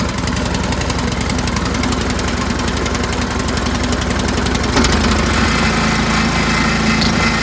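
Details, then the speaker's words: Troy-Bilt Storm 2410 two-stage snowblower, small single-cylinder engine, just after the pilot jet was blown out and refitted: steady quick beat whose speed and loudness still rise and fall slightly, better but still surging; owner suspects governor linkage tension spring. "It's better. So it's better. It is a little better, but it still surges, right? But it is definitely better."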